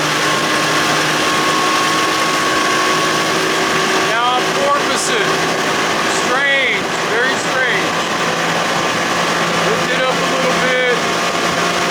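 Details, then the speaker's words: 60 hp Johnson outboard at cruise during a propeller test run, at 3,600 RPM and 23 mph. It holds a steady, even drone under heavy wind and water rush with no knocks or misses. It porpoises slightly in waves. "3,600 RPM, 23 miles an hour. Sounds good."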